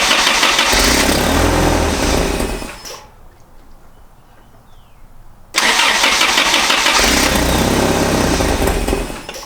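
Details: 1986 Toyota 4Runner, battery recently charged: two long spells of even, rapid cranking with a pause between, never catching or firing; cranks but won't start, cause unconfirmed, a spark was seen afterward.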